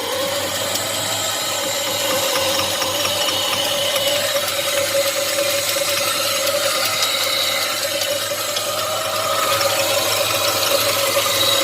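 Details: Chevy 5.3 V8 in a box Chevy at idle. Fast, uneven ticking and chatter, roughly three per second, rides over the idle; the cause of the noise is not pinned down.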